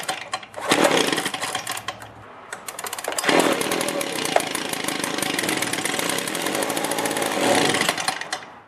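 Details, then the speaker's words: Echo PB265L backpack leaf blower with an acceleration problem: after a pull it fires and buzzes for a few seconds, then fades and dies; cleaning the carburetor and a new carb kit didn't help, so the carburetor must be replaced. "so as you saw there the machine started ran and then stopped I still have the same symptom so I have to replace the carburetor"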